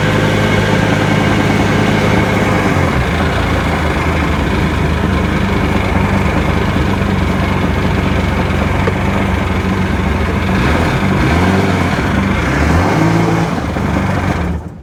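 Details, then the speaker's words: 2002 GTX DI with a maintenance light around 3,000 rpm (stator, crank position sensor already changed), test-run after checking plugs: uneven stumbling beat skipping at steady speed; misfire, cause unconfirmed. "Here we go again. And again, don't even need to go out. I hear it skipping. Oh boy. I don't know about this one."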